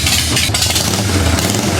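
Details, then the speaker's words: 1990 Harley-Davidson 883 EVO Sportster after reinstalling the intake manifold and Keihin CV carburetor and fitting an Ultima single-fire ignition: deep, even V-twin idle and revs with no stumbles; the earlier suction-type whistling is gone, a healthy running engine. "oh man that is a healthy sound listen to that I tell you what I don't hear anymore though I don't hear that whistling sound that suction type whistling sound I was talking about"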